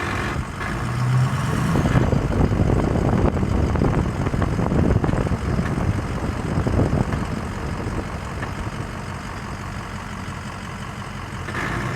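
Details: 2006 Ford F-250 6.0L diesel idling with a deep rumble and a rough, raspy grinding that swells in short bursts.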